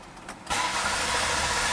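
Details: 2003 Ford Taurus 24-valve high-output engine: starter cranks steadily with no firing, no spark; scan shows RPM so crank sensor reads rotation; crank-no-start traced to a faulty coolant temperature sensor.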